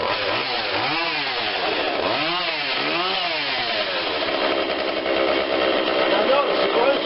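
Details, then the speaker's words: Husqvarna 142 40cc chainsaw, cold start on choke only (no primer bulb), before carb adjustment: buzzing then sagging and stumbling toward idle, a slight stall; stumbling idle, carb to be tweaked. "we're going to go in there just tweak it a little bit you hear a little bit of a stall we'll let it run a little bit more"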